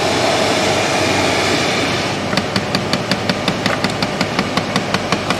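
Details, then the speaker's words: 2010 Chrysler Town and Country minivan HVAC, heard behind glove box: after fan noise settles, sharp regular clicks about 160 a minute, a failed blend door actuator ratcheting at its travel limit; customer first suspected fan noise. "that's a blend door somewhere limiting it out that's what that is"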